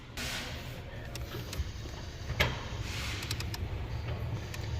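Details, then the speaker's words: 2014 Ford Fiesta after blower motor replacement: sharp, irregular ticks and pops from behind the dash over low cabin rumble, often at startup or shutoff as it parks the door; failing recirculation door actuator, to be replaced. "Hear that? Let me show you what that is real quick. That is your recirc door actuator. A lot of times it'll do it on startup, and it'll do"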